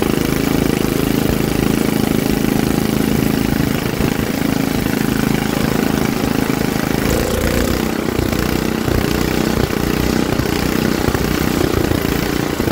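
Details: Troy-Bilt rear-tine rototiller engine after magneto cleaning restored missing spark and carburetor cleaning, choked for carb adjustment: loud steady putter with no misses or surging; single-cylinder engine starting and running normally.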